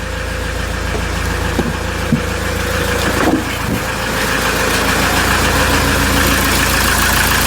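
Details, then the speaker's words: RAM ProMaster 3.0L diesel that had low power and limp mode with codes P0402/P0101. After reinstalling the intake manifold, throttle body and EGR valve, it idles smooth and even with no misses, knocks or leaks. "inspection it sounds good we don't have any leaks around the engine everything looks good"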